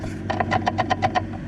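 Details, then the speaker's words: Nissan Skyline R34 GT-R gearbox removed from the car, shaft rocked by hand: about eight sharp metallic taps in under a second; input shaft has play, suspected input shaft bearing. Abnormal drive-system noise appeared when warm, louder while driving. "This shaft loosen a bit and making this tapping noise. The sound is come here from this part of this transmission. I guess the input shaft bearing, or somewhere around that."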